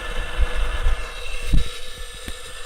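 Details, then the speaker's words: Western Digital Green 1TB WD10EADS from a MyBook external enclosure, about eight years use, failed, running with cover off: uneven low thumps over a thin high whine; noise source unclear, suspected spindle motor, heads seem not to touch platter. "I don't know if that's going from the head or the spindle if you have any hard drives professionals out there now I don't see any sparks fine it doesn't look like the heads touching the platter it looks awful close though I mean I'm thinking that's just the the spindle motor you know the motor that's turning the platte"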